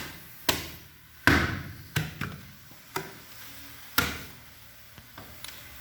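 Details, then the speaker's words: Refrigerator that sat a long time, charging gas toward 40 psi: sharp irregular cracks and pops as the rotten internal aluminum evaporator tubing swells and gives way under gas pressure, gas lost; inner tube must be replaced. "Pero como este refri estuvo asentado bastante tiempo, la tubería interna, que es de aluminio, ya está dañada. No sé si alcancen a escuchar. Le voy a cerrar la llave. Como truena."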